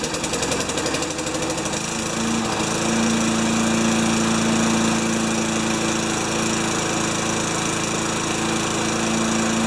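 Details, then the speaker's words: Old junkyard 5HP Tecumseh mower engine, primed with fuel into carb throat: sputters then settles to steady buzz with lumpy pulse; running poorly, carb bowl to be checked, cause unconfirmed. "i guess i work on it i guess i work on it a little more i might take the bowl off just to see how bad the the bowl on the carb is"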